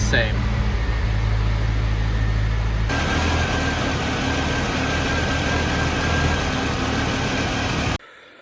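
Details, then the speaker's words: 1985 Mitsubishi Pajero on its original carburetor after replacing all hoses: uneven, loping idle with an unsteady low thrum that never settles, no improvement; faulty carburetor pulled for cleaning, later replaced by a Weber. "Okay, so it still doesn't sound good, which means we're going to pull the carburetor and clean it."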